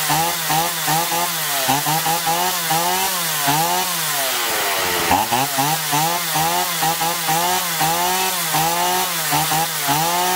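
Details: Chainsaw that surged and lacked power even unloaded, after carburetor cleaning with both L and H screws turned fully in, then out one and a half turns; crisp two-stroke revs rising and falling cleanly while cutting, no bogging: running healthy.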